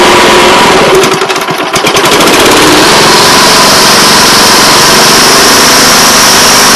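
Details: Honda Harmony 215 mower engine, after years outside and a carb cleaning, gives a loud fast beat that stumbles briefly then settles into an even, steady run; running properly.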